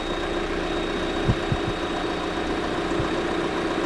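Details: 2023 Lada Vesta NG automatic, car jacked up, checked from below for exhaust camshaft knock while warming: steady idle with an even hum and no ticking or knocking from the top end; diagnosis found it healthy, normal idle.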